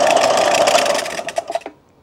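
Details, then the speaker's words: Old cheap belt grinder, clamped to the table to stop it walking off, runs with a buzzy, rattling hum, then cuts off and coasts down quickly. It shakes hard and has no power, and belts slip on its plastic rollers: excessive vibration. "As you can see, it shakes all over the place. I actually have to keep it clamped to this table just to prevent it from walking off and falling onto the floor."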